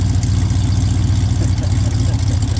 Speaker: Yeah, listen to this thing. It sounds pretty good, actually.